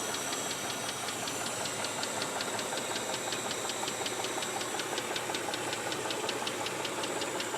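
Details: Mitsubishi 3000GT engine at idle, noise began after under 60 miles of driving: sharp, even tick about 160 a minute; owner suspects lifter tick or possibly rod knock, not confirmed.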